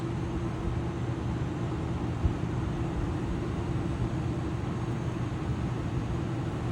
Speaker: as you see this guy is not the fastest guy in the world so please make sure you do got plenty of time this guy's actually moving a little quicker than most of them